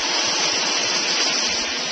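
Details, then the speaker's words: Old 1.5 hp Whisper Flow single-speed pool pump, solar-panel pool, drawing about 6.5–7 amps at around 237 V AC before replacement: loud steady rushing hiss with heavy water noise, no rhythm; noisy pump operation. "first of all you'll notice that it's pretty noisy and second that it's drawing around 6 and 1 12 to 7 amp of power when it's [Music] running"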